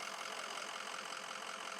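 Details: 2004 Ford F350 6.0L Powerstroke diesel just after an EGR gasket coolant-leak repair with the fuel system opened: even diesel clatter at idle with no knocks; running normally.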